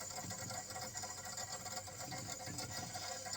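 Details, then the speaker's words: Godrej single-door fridge after freezer box replacement and R600a gas charging, compressor drawing up to 0.9 amps: steady soft hiss of refrigerant circulating in freezer over faint even hum, no knocks; cooling well, running normally. "பாருங்கள், ஃப்ரீசரில் வந்து sound நல்லா கேட்கும், case circulation ஆகிற sound கேட்கும். So உங்களுக்கு நல்லா கேட்கும்னு நினைக்கிறேன் கேஸ் சர்க்குலேஷன் சவுண்டு."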